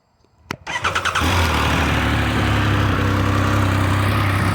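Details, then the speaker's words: Triumph Speed Triple 1200 RS, bought in November, already ridden that day so not a cold start: brief starter whir, catches at once and settles into a steady deep idle; a clean, healthy warm start, and owner says it starts the same in the cold. "i said i've been riding today so it's not a cold start but it starts just like that even in the cold"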